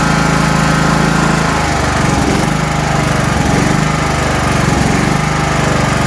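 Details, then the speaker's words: 1980s John Deere 180 lawn tractor: single-cylinder engine running loud and steady with even buzzy beat; has spark and fuel, healthy. "all right so now that we know the motor runs and it's got spark it's getting fuel"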